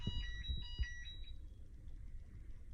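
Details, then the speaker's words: Keurig coffee machine making a big noise and a few short high beeps over low thumps, then shutting off; fixed by replacing the water container (reservoir). "the machine was making a noise and longer noise and then the machine turn off"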